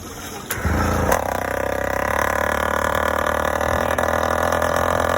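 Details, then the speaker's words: Yd100 two-stroke with Dio reed valve and 24mm OKO carburetor, choke on at start: fast uneven burbling idle with loping miss; still four-stroking and way rich; main jet change planned. "It definitely went faster and more responsive, but still four-stroking and way rich."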